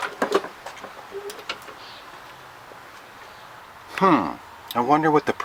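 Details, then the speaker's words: Lawn Boy model 10604, 20-inch, Kohler 6.5 149cc TRU-START engine: several quick rising pull-cord whirrs with no firing or catch; cranks but won't start, owner suspects spark plug. "could be i mean it does say it's a true star commitment i mean it's supposed to start maybe it's a spark plug"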